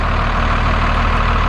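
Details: 1991 Freightliner FL70 tow truck, believed to have a 5.9 12-valve Cummins, started after sitting about 15 years: low, steady diesel clatter at idle with an even rhythm and no misses; a normal idle.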